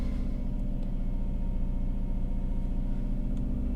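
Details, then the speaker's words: 2003 Toyota RAV4 right after a cold start: fast, steady high idle around 2000 rpm with a deep, tractor-like rumble, still just over 1000 rpm five minutes later; the owner suspects a cause behind the air filter housing. "okay because you can see as soon as i start up the car it's gonna be pretty high idle it actually almost sounds like a tractor"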